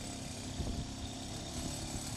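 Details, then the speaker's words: Two-stroke engine fitted with a plasma ignition, idling steady and even with a crisp, consistent buzz and no misses or stumbles; normal idle. "so let's turn on the the engine you see it's regular no"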